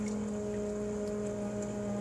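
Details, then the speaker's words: Radiant heat boiler after cold startup: steady, clear trumpet-like whine with even overtones that grows as temperature is turned up; owner attributes it to thermal shock from the large inlet-outlet temperature difference. "It would sound like a trumpet whining, so I had to fidget with that because the difference of temperature was so much that it was doing it."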